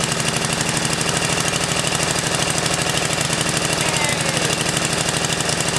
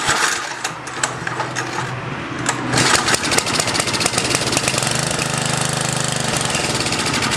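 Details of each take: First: 10HP Tecumseh snowblower engine on its first run; the small single-cylinder catches once fuel reaches the carburetor and runs on with a fast, steady, lumpy putter near three beats a second, so it is running normally. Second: 10HP Tecumseh snowblower engine on its first run, after many pulls with a dry, clean bowl: it catches, runs rough and choppy for about seven seconds, then sputters and dies, suspected fuel delivery with fuel not yet reaching the carburettor.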